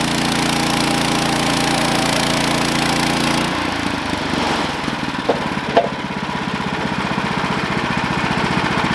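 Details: Sawmill engine drones steadily during a cut, then at about 3.5 s the note drops and bogs as the blade stops mid-cut. The cause was a worn-out, slipping clutch and a worn drive belt.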